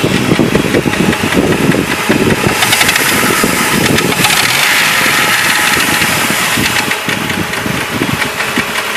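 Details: Jeep Grand Cherokee: rough, uneven knocking over busy idle, seeming mid-to-upper and forward in the engine; owner considered flexplate but doubts it; engine knock, cause unknown.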